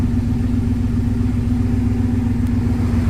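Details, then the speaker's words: 1971 Rover 3500S (North American P6) V8 at idle after installing a Lucas 11AC alternator replacing one with a seized pulley bearing: deep steady rumble, no knocks, whine or stumble; belt flaps slightly but pulley quiet, charging; normal idle. "You see that kind of flaps around, but no noise or anything. Everything sounds good. The pulley is working very well."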